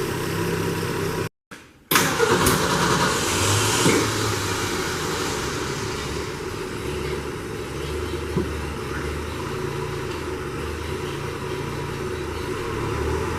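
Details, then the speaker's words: 1966 Ford F100 with the carb just worked on, after idle adjustment: a brief crank, it catches cleanly, then settles into a steady, even idle with no misses, knocks or hunting; normal start and idle. "so we finally got the idle right took a little research"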